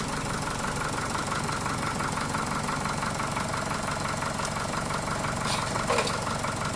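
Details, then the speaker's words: Chevy Cruze after an engine replacement (previous engine threw a rod), idling with a light, fairly regular metallic rattle of about three per second. Cause unconfirmed; the owner suspects a weak oil control valve and also notes a small knock. "Other than that, let me start it up. Not a big fan of that rattle."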